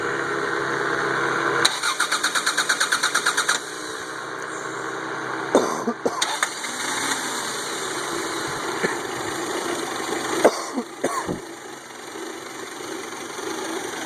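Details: 1992 Toyota Camry 4-cylinder with rebuilt engine, harder to start when hot: long uneven cranking, catches, stumbles and dies, then cranks again; hard start.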